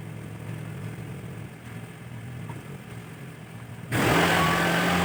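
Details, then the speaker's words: Carbureted Honda Vario scooter with weak battery, run about 2 minutes to charge the battery; even putter at idle then louder as revs pick up, smooth and steady, running normally. "Ayo kita Nyalakan mesin ini selama kurang lebih 2 menit ya nanti untuk melakukan pengisian pada komponen baterai itu sendiri"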